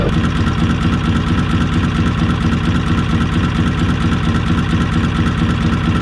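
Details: Small inboard motor in a traditional sailing trailer boat, idling slowly after installation: steady, even tick-over with a soft regular beat of about two per second and no clatter; healthy idle.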